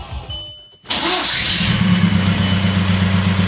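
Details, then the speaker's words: 2004 Audi allroad with swapped 2.0 TDI BHW PD diesel, new starter: short harsh whirr and clatter at engagement, then the engine catches right away and idles; the starter sat too tight against the flywheel. "oh definitely no problem starting but don't like the way that flywheel sounds"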